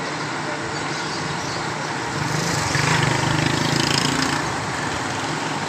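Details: Suzuki Cultus cranking without starting: turns over steadily at about three and a half beats a second but never fires; ECU board fault, car started after ECU repair.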